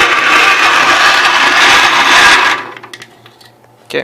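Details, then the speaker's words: Gravely 810, old gas three years in the tank, cranked off a jump box clamped on the starter bolt after a poor ground through greasy engine/transmission. Fast steady starter whirr with no firing: turns over and moves air but won't start; owner plans to clean the points and try carb cleaner. "so it turns over and it's moving air so it's not blowing up so uh at least clean the points up maybe give her a shot of carb cleaner and just see see what it'll do"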